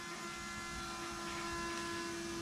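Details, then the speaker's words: Shelby Cobra replica with 2003 Mustang GT 4.6 V8, after fixing a fuel tank flow problem: key-on electric fuel pump gives a steady high whir, priming immediately to 10 psi, unlike the earlier struggle. "i'm just gonna turn the key on and see how fast i can hear the pump pumping [Music] oh it's immediate now so right now it's giving me 10 pounds of pressure"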